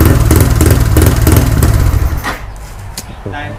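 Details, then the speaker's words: Freshly rebuilt Wave LED 59mm bore, +5 stroke engine (4-valve head, 24/21 valves, manual clutch, HiSPEED parts), just started after assembly: even quick single-cylinder thumping, quiet, no tapping or rattle, settling down — healthy. "สุดยอดเลยครับช่างเงียบกริ๊บเลยนะ"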